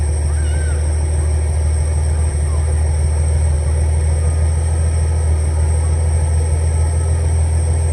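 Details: 300 inline six, after carburetor rebuild (previously running too rich, fouling plugs) and idle adjustment: steady, even low rumble with no stumbles or knocks; normal smooth idle.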